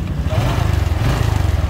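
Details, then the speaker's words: Honda Wave RSX 110 (2010–2011) after cam chain replacement and a modified "VIP" tensioner: steady, even low putter at idle with no rattle or tapping from the top end, engine running smooth. "RSX rồi xe Wave RSX của em trai này sau khi xong để nổ đề máy êm không nha có đồ ra coi"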